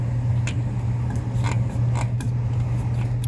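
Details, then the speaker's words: 2004 Suzuki XL7 power window motor after Stabilant 22A contact enhancer on a faulty connector (horn, blower, windows had failed): low steady motor drone with creaks and clicks, briefly cutting out under wiggling but much improved; new connector wanted. "Oh, there it started cutting out a little bit. But it's way better."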